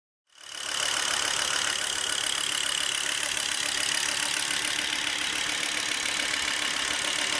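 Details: Volvo V70 2.5T at steady idle: hissy high rush with a thin constant whistle on top; abnormal engine noise, cause not determined.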